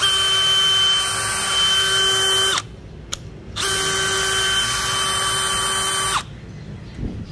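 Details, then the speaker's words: New DeWalt DCK299P2 kit drill in plain drill mode, without hammer: two smooth, even bursts of steady high motor whine with clean starts and stops, no grinding or rattle. It runs healthy. "tiếp theo là chức năng Phan Bình thường mình dùng để khoan gỗ phang Sắt bằng gạch men mái tóc có sẽ chậm hơn so với lại không có muốn quá em luôn"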